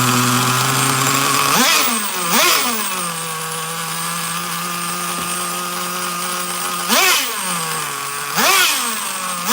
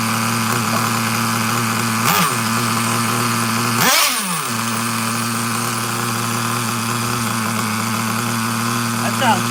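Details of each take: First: Traxxas Nitro Slash nitro engine on the bench: it screams, then settles to a high, steady idle between blips instead of dropping low. The throttle linkage is slightly off and pulling the carburetor a little open. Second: Traxxas Nitro Slash with carburetor linkage just fixed, on the bench: small nitro engine buzzing at a steady, even idle with no hunting or stumbling and a couple of brief blips; normal, healthy idle.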